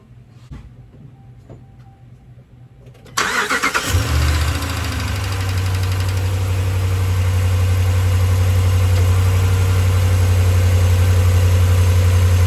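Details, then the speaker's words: 2016 Ram 1500 5.7 Hemi after exhaust manifold gasket replacement and stripped head thread repair (Dorman aftermarket manifold leveled on a sander): starts and settles to smooth even idle, no more ticking or hissing from the exhaust; fixed. "Much better. You're not got that ticking, hissing sound out of the exhaust anymore. Everything's good."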